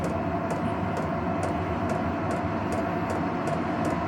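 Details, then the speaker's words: Vevor diesel heater run off an Anker Solix C300 battery bank, heat turned up by remote: crisp even fuel pump ticks about every half second, roughly 140 a minute, over steady burner roar; pump running faster on high heat. "You can hear the pump moving faster."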